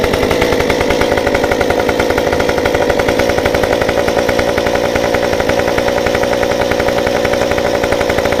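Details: Stihl 193T climbing saw with muffler mod, limiters removed, ~8–9° timing advance, 93 non-E fuel, 16-inch bar; fires up hot after 5 minutes shut down and settles into a crisp, steady buzz with even firing, no stumbling; runs normally.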